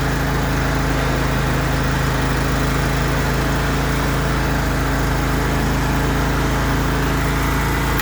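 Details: John Deere L130 riding mower after replacing a deck bearing housing whose bearings failed, deck reinstalled: steady, even engine note at constant speed with no knocks, squeals or grinding; running healthy.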